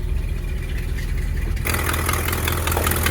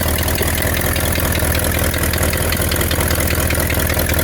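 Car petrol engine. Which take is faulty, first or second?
second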